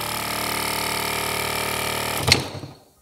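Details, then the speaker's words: Repaired BMW F-series air suspension compressor on the bench, motor powered directly from 12 V battery: smooth, steady buzzing hum as it builds pressure, running normally; ready to refit. "You can hear the different sound. Now this air compressor is under pressure."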